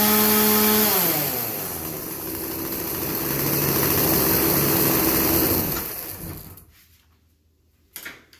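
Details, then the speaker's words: Craftsman chainsaw that bogged under minimal load, after the high-speed carb jet was turned about three-quarters clockwise while running: the full-throttle scream dips once, then holds high and steady; clean, healthy top-end running. "okay so that just took it took about about three-quarters of a turn clockwise on the high-speed jet with this"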